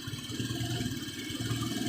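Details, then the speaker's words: Honda Vario 125 scooter before service: idle surges and sags instead of holding steady, a hunting note; unstable idle later traced to a dirty idle actuator and throttle body. "Hai ini stasionernya nggak bisa Sabil ya"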